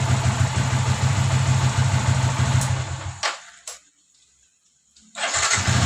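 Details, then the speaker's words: Yamaha Vixion after engine rebuild for block and piston damaged by overdue oil change, previously noisy and rough: radiator, coolant and oil refilled; single cylinder starts, thumps smoothly, cuts out, restarts to a clean idle without knock. "sekarang mau saya coba untuk dihidupkan suaranya sudah halus atau belum"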